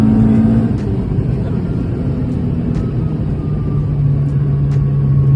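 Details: B20 VTEC Honda with a newly bought gearbox with a different final drive, driving: a thin, slowly rising whine above the road and engine rumble; whining gearbox, described as bearable.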